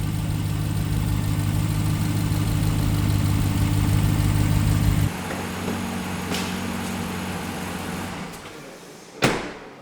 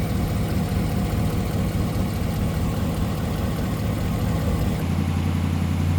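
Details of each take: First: 2017 Ram 1500 Rebel V8 startup after replacing one exhaust manifold with BD Diesel unit; high idle settling lower with light tick, exhaust still leaking. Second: 2017 Ram 1500 Rebel V8, cold-soaked after days parked, after fitting BD Diesel exhaust manifolds: steady, deep cold idle with no exhaust tick or leak; a brief cold, rainy-weather belt squeal at startup.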